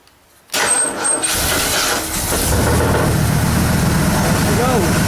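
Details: 1972 Ford Custom V8 cold start: cranks briefly, catches quickly and settles into an even, steady idle; normal cold start and idle.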